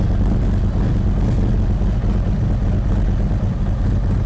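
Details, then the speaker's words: 2023 Harley-Davidson Street Glide ST Stage 2 (CR483 cam, Bassani header, ThunderMax) during second idle tune warming to 180°: deep loping even idle, no knocks or misses; closed-loop AFR readings dancing where they should, normal idle with cam lope. "If you'll notice, everything is dancing right where it should be. This is going to be a really, really good running bike."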